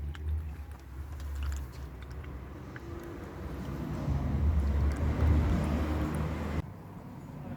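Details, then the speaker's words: Mark 1 self-bleeding cooling system (no bleed nipple), coolant poured in gently with cap off: low irregular gulping and glugging as trapped air burps out; air gulping while filling coolant. "they will self-bleed um and when I say self-blue they don't have a bleed nipple you just have to be very careful so just try and just pour it in very gently I think we could take about eight or two probably you can hear that gulping"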